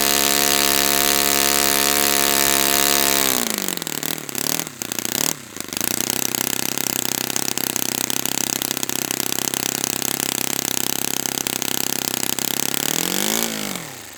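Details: Brand-new Saito FA-100T twin on a test stand, break-in run: steady high buzz drops away, then rough, busy running before a final rev and fade; running rich with oily exhaust, not lean.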